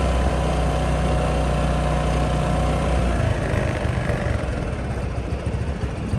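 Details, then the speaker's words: $10 Honda Helix scooter newly revived from auction, on a ride: the small single buzzes evenly and pulls away smoothly and strong, no misses; running normally. "So it runs pretty good, actually. Not bad at all. Pulls strong too."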